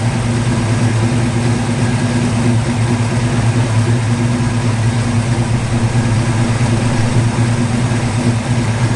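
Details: 1950 Ford F1 truck revived after years in a barn, MSD ignition, fuel pump hardwired; steady even low rumble with no misses, knocks or hunting, engine idling smoothly and healthy.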